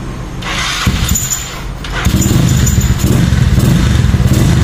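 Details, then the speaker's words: Yamaha Mio Soul 160 big-valve scooter after reconditioning and tuning, formerly noisy and rattly; catches after a short crank into a steady even low idle with no rattle or tapping, a normal start. "Dati maingay yung makina. Ngayon, tahimik na. Dati makalansing."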